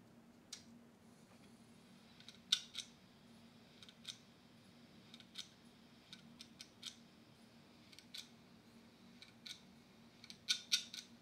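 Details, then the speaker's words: Western Digital laptop hard drive, opened outside a clean room, powered up: faint, sharp ticks at irregular intervals over a soft hum, the click of death from a read head sticking while seeking a sector. "I had the terrible Click Of Death that you get when your hard drive is trying to find a certain layer or sector and it just the head just sticks"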